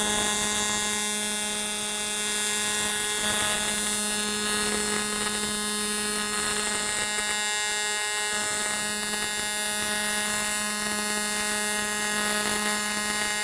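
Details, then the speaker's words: ESAB Rebel EMP 205ic running an AC TIG bead on aluminum; steady even electric buzz with high hiss through the bead; amperage slightly low, welder says it could use more heat. "Could use a little more heat in that, to be honest with you."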